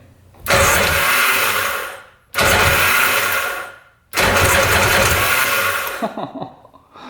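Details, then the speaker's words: 1995 Tigershark Monaco jet ski, 640cc 67 hp, unrun for 20+ years: steady even cranking with no firing and a firm pulse during compression test, throttle stuck closed, oil down the cylinder; reads over 150, almost 200 — good compression. "Over 150. Almost 200. Jeez."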